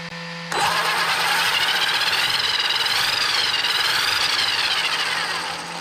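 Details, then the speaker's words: Traxxas X-MAXX 8S RC truck on the bench after replacing the spur assembly and rear bulkhead to cure repeated gear stripping: high electric whine rises and falls smoothly with throttle, no clicking or skipping; gears mesh cleanly with audible backlash. "So guys, that looks all good to me. I'll switch it off so you can hear me. That looks all good to me, and you can hear the backlash."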